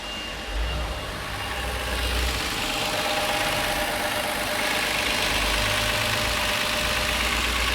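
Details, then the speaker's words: 2022 Toyota Avalon V6 at about 112,892 on the odometer, idling with an uneven low pulse and occasional stumbles: a random multiple misfire with engine and traction lights. Coils were already checked and spark plugs replaced; injectors are suspected, not confirmed. "So b engine missfire ang kino-complain. Engine MP traction light ano to eh multiple missfire siya random missfire."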